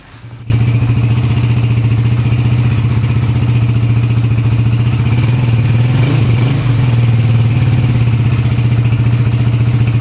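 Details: Honda TMX 155 single after overhaul with new piston and connecting rod, breaking in, not to be revved hard: firm, even low thump at steady idle, no tapping or clatter; engine sounds healthy.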